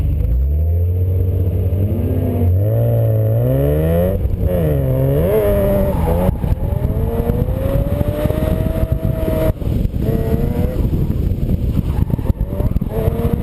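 Uneven engine note with irregular stumbles and dropouts as it revs up and settles back; sounds like a misfire.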